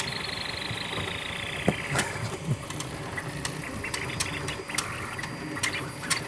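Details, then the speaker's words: TwoTrees SK1 3D printer printing at 200% speed: irregular sharp extruder clicks over fast motor whir. The pressure advance setting was accidentally changed, so the extruder is struggling. "Alors, ce qu'on entend, c'est l'extrudeur qui n'aime pas ça. Je pense que j'ai changé mon Pressure Advance. Ah, c'est ça. Le bruit qu'on entendait, c'est parce que j'ai accroché le Pressure Advance. C'est l'extrudeur qui faisait un drôle de bruit."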